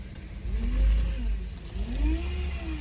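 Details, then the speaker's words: 2010 Chevy Traverse driving after power steering reservoir clean, silent at idle: faint whine rising and falling with throttle over road noise, quieter than before; owner suspects pump needs replacing. "It's a lot quieter than it was, even during acceleration. It still has the whine, so maybe the pump has to get changed out."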